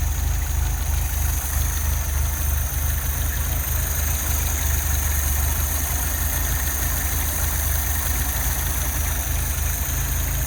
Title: 1978 Fiat 124 Rough Idle 1/3